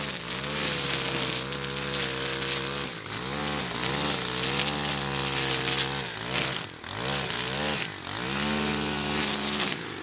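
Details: Stihl FB131 converted from bed redefiner to trimmer head, carburetor tuned and warmed up, cutting weeds under load: high scream dips and recovers cleanly, strong pull with no bogging or misfire, normal running.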